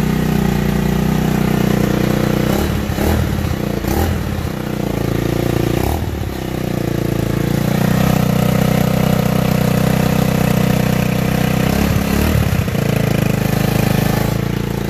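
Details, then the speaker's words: Tao Tao Racer running again after battery and valve adjustment, rich/lean mixture adjustment still due; small single settles into a fairly steady low idle with a few uneven catches, normal idle. "but yeah see the the Bike Works just the battery valve adjustment"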